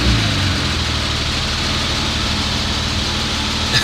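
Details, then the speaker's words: BMW E36 being refreshed, cooling system being converted from fan clutch to electric fans, not yet roadworthy: steady even idle with smooth low hum, no knocks or ticks; normal idle. "that's crazy hearing that bro i miss that sound man i miss it man"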